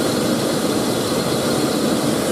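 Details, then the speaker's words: 2000 GMC Sonoma 2.2L I4, idling after belt and tensioner install: steady airy rush around the intake, no knock or tick; owner suspects an intake gasket leak, or just air rushing inside the plastic intake. "yeah I do have some noise coming through the intake that I've just started hearing I don't know if I have a intake gasket leak or what but I hear rushing air around the intake area"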